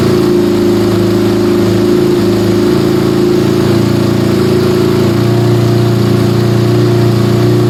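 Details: Yamaha Scorpio single-cylinder after tune-up (valve adjustment, carburetor cleaning, new intake manifold, oil change): steady even idle, smooth settled hum, no knocks or misses, smoother after valve adjustment, air screw about 1.5 turns; normal idle.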